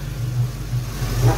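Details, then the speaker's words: 1990 Ford Mustang GT Foxbody V8 with GT40 upper and lower intakes and new Alloyworks 4-core radiator, warming up at idle after rough idle fixed by cleaning the IAC valve; deep even rumble, slight swell. Normal idle. "my rough idle problem turned out to be my IAC idle air control valve I took it off I cleaned it out with brake fluid put it back on she seems to be running pretty good right now"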